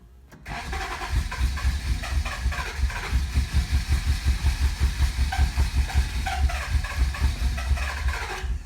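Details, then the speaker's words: 1988 Acura Legend sitting 10 years, with a new fuel pump, used replacement ECU and old gas, at its first start: long, uneven cranking at two to three thumps a second, some cylinders catching now and then, never settling. Extended cranking with partial firing. "hơn với âm thanh của đàn ông như nhiều xi-lanh đang cố gắng có nó là lần đầu tiên bắt đầu trong những năm mười"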